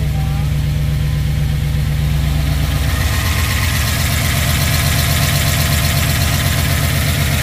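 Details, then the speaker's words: Rebuilt 1967 Pontiac Tempest V8, first start after rebuild: idle with a light, busy valvetrain clatter on both sides, oil to top end uncertain; lifter tick from oil starvation at first start. "valve train is making a little bit of a noise it seems like looks like we're getting oil"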